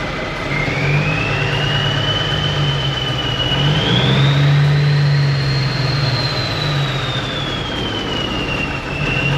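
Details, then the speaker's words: 1991 Freightliner, Cummins NTC-365 low-flow engine with bad throttle lag: revs climb slowly on throttle and hang before dropping, turbo whistle rising and falling late, considerable smoke; sluggish, rough running, cause unclear. "this engine is a 365 commum and it's got a couple of issues with it one of the bigger issues is it's got this really bad throttle lag you hit the throttle there's a big delay when it ramps up come off the throttle and it hangs there a while and then it comes down"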